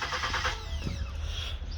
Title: 2014 Ford Taurus Crank No Start